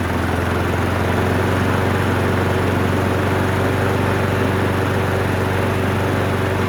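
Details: Abused Craftsman lawn mower after carburetor cleaning: the small single-cylinder engine holds a steady, even drone at constant speed with no misses or surging, running smoothly.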